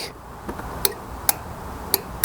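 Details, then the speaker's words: MTD Yard Works lawn tractor, Briggs & Stratton single-cylinder, fuel solenoid refitted with copper washer on cleaned carb bowl: key turned, sharp crisp clicks; normal solenoid click. "Now, if I turn the key, you should hear a click."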